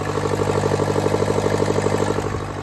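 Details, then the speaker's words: Car with a turbo, also squealing, at idle: rapid harsh diesel-like chuffing pulses in time with the idle over an even engine note; owner suspects an exhaust manifold crack or leak, possibly also a bad turbo; not confirmed. "I feel like it definitely has an exhaust leak is that the reason I'm squealing that's a different question but just listen to it how it sounds like a diesel right now"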